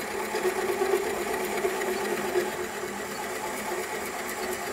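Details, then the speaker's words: NOVA Voyager drill press drilling hardwood with a 2-inch Forstner bit at 250 rpm. Steady motor drone with short beeps that speed up as the preset hole depth nears, then the machine shuts off. Normal electronic depth-stop warning. "now the electronic depth stop is ready to go and now I'm ready to drill my hole and even this is foolproof because the computer is going to tell me when I'm getting close by beeping"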